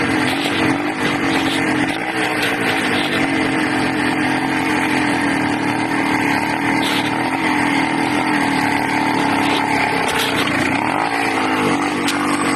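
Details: Loud, high, buzzy 80cc two-stroke runs ragged and uneven, hunting slightly; owner suspects a carburetor or intake manifold leak, unconfirmed.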